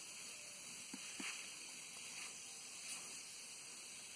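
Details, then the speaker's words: Steady high-pitched hiss with no rhythm as air escapes from a nail puncture in a tire; the nail had been driven on for a while. "Oh, it's a nail. It's been driven for a while. Okay, so you can hear the air."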